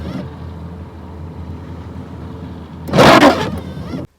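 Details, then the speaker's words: Worn windshield wiper blades chirp and squeak at the ends of each sweep over engine idle, before cleaning and coating them with silicone grease. "сегодня видео как с помощью пакета и силиконовой смазки избавиться от скрипа уставших дворников вот послушайте эту замечательную мелодию в моём"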